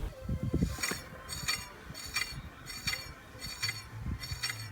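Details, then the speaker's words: Renault Twizy wheel after freeing corroded caliper pistons: faint light swish about once per wheel turn, only a very slight residual brake pad rub, barely audible when driving. "So you can tell on mine there's only a very slight amount of rub, but when driving you can hardly hear that at all"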